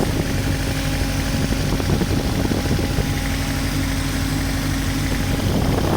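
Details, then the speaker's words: Toyota TA22 Celica 4AGE after old fuel and ultrasonic injector cleaning: steady idle with an uneven, lumpy beat. It is not running on all four cylinders; earlier it idled on two or three. A clear misfire at idle. "okay so we definitely don't have four got a bad miss checking for all the leaks"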